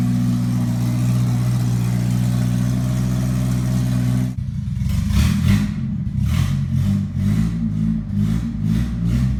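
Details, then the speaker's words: 1980 Toyota pickup, 20R four-cylinder with open shorty header, first start: loud, idles steadily then revs up and down in clean repeated blips with no knock or misfire; healthy, just noisy. "le 20R sonne en bonne santé même si vous avez entendu qu'il est un peu bruyant"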